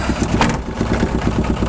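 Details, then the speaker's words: Aixam 400 microcar started from the battery, idling stationary, recorded inside the cabin: fast, even chugging idle with a heavy low drone and steady pulsing, extremely loud, vibrating everywhere; excessive idle noise and vibration, cause not identified. "le bruit est juste en fait super violent donc ça vibre un peu de partout on se rend pas forcément compte"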